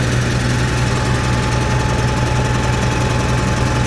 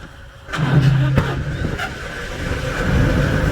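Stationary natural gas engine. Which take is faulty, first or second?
first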